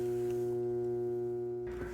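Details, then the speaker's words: Older Jacuzzi Del Sol hot tub showing FL1 error: pump motor gives steady electrical hum without spinning up, then drops away; suspected capacitor if shaft spins freely, seized bearing if not. "so that pump there i spent spin the back and if it moves then it's probably capacitor that's what i'm thinking if it doesn't move it's going to be a bearing that sees that's why i was humming"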